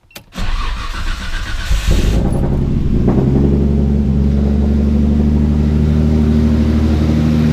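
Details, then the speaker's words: Nissan Skyline R33 fresh big-turbo build (8.5:1 pistons, GT3582R turbo), first start after the build, before warm-up: cranks briefly, catches quickly, settles into smooth even idle with steady low rumble; normal start and idle. "so good news is that it fired up we'll make sure we'll get it up to temperature we'll check all the cooling levels oil levels all that stuff to make sure it's good"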